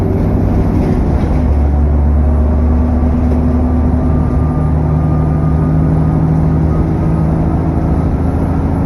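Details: SN61 DDE E210, driving on a dead run: loud steady cooling fan roar with a thin high turbo whistle held over the engine drone.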